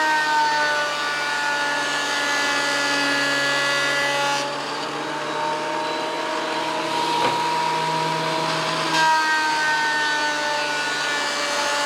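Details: WEN PL1326 15-amp 13-inch spiral benchtop thickness planer, after repair of misuse damage (replacement knives and bevel gear set used): steady high whine dipping slightly as a bigger board feeds through and recovering, no knocking or grinding; cutting cleanly, within 0.002 in thickness.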